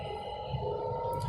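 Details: 2019 Tata Tiago XZ+ three-cylinder at about 3000 km, parked and held at high revs (around 2500–3000 rpm) with phone near the steering wheel in the cabin; steady mid-pitched hum over even rumble, normal drone, nothing rough.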